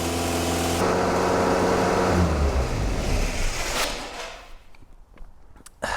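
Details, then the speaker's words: 1977 Triumph Dolomite long unused, after carburettor baseline settings, engine partly cooled: starts instantly and holds a fast steady idle around 2,000–3,000 rpm, some smoke, then winds down; excessively high idle. "okay so I mean that started up instantly the the engine had lost a lot of temperature as well started up instantly but that is like 2,000 2 and a half th000 to 3,000 RPM which is way too high"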